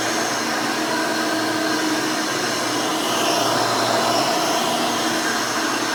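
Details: Rebuilt Hoover Elite 600 upright vacuum with new 7 amp motor and 20-blade fan running; steady, even high-pitched rush, no rattle, wobble or scraping; spins smoothly and fairly quietly, like the original 6 amp, normal.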